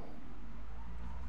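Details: Electric fan that would only hum and not spin, after oiling the tight shaft bushings: steady low hum with gentle even pulse, no scraping; motor now spins freely and runs smoothly.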